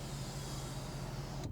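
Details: Mercedes W211 E63 AMG panoramic roof, sunshade running after repairing a motor that ground or buzzed when closing, with the trim reassembled. There is a steady, even low hum with no buzzing or rattle and a clean stop. The sunshade is operating normally.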